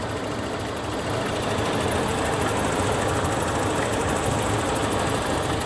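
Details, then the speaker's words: 2000 Toyota Kijang Krista 1.8 EFI after oil change, at operating temperature: soft even idle hum with steady rhythm over a faint hiss, no knocking; normal warm idle. "Nah ini ini sudah tercapai suhunya dan dia sudah masuk ke ideal saudara ide suara mobilnya jadi lembut kayak gini"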